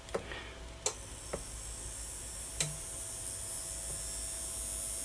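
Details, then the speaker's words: Harman Kardon CD491 cassette deck motor bench-tested at 9 V, drawing about 48–51 mA and triggering the current limit. It gives a faint, steady whirr with a few handling clicks; it spins smoothly with no scraping, and reversed polarity only reverses rotation. "but it is working so obviously when you when you solder it back on in wrong polarity it's going to be just rotating an opposite direction"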